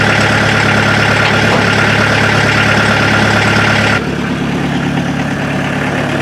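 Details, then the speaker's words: Mazda B1800/Ford Courier pickup with a VW diesel engine, started after 10 seconds of glow plugs: the engine catches and settles into a steady, even idle with clanking clatter and no misses. Normal diesel idle. "she's up and running again can you hear the exhaust over that clanking of the motor"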